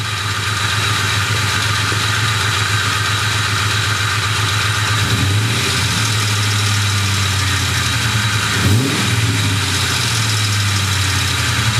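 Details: Ford Mustang GT 2V V8 at idle with a fast, light ticking that follows engine speed. Owner suspects a loose passenger-side timing chain from a failing tensioner or worn chain guide; not confirmed.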